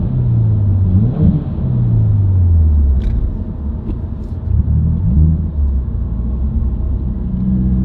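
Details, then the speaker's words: Subaru WRX, heard from inside while driving: a low droning hum or buzz under road noise that rises in speed and pitch with road speed, unchanged by revs, gear or clutch; the dealer diagnosed a broken center diff viscous coupler. "Can you hear that little buzzing noise? It'll speed up and get higher pitch as I go faster."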